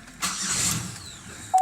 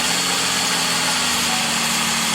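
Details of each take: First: Van with electronic drive-by-wire accelerator, just fitted with a new starter: brief starter cranking dies away without catching; it never starts unless the gas pedal is pressed slightly. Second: Buick Terraza van after replacing a failed starter, given a little gas to keep it running: starts strong and holds a steady, even idle with no knocks or misses until it cuts off near the end.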